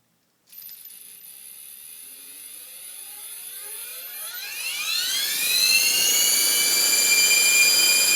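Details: Small electric RC helicopter with main rotor shaft, motor, main gear, tail drive and tail pitch bearings all already oiled: shrill whine climbs in pitch as it spools up, then holds steady.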